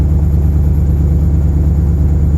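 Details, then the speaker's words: 2006 Porsche Cayenne S (955) 4.5L V8 just after replacing the EVAP purge valve for P0441 and pulsing idle; steady even low rumble, smooth raised idle while warming, no pulsing or hunting. "We're gonna wait for the idle to drop down. I wanna see if I can actually hear a difference."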